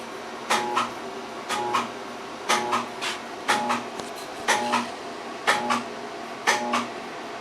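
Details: Armstrong FM-20000T2 transmitter's three-phase blower, working before, won't start after sitting three weeks awaiting tube replacement, all phases present; repeated clunk-buzz start attempts about once a second, never spinning up, eventually tripping blower breaker; blower motor fails to start.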